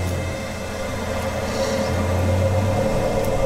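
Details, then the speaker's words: Dzhileks Vodomet 55/35 submersible pump on HY-2 inverter pressure controller, tap opened and pressure dropping: smooth low hum rising gently in pitch, no knock or rattle; normal variable-speed soft start. "Opening the water. Pressure starts to drop, the pump kicks in smoothly."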